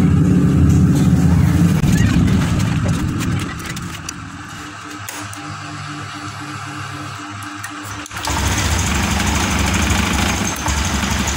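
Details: Motorcycle runs rough, drops to a weak uneven idle, then surges back, sputtering and not revving cleanly. This is the second substitute injector, from a Beat FI 2014 (the first was from a Vario 150). Mechanic still suspects the injector; unconfirmed.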